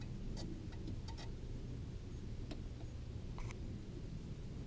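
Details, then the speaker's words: Ford Crown Victoria turn signal with stalk wiggled: faint clicks at irregular intervals, bunched then stopping, over a low hum, flasher cutting out; owner suspects a short at the blinker fuse in the fuse panel. "you wiggle this around mess with that and almost always I want to work but if you wiggle it all the way closed down there you hear it like you've probably hear it like bugging out"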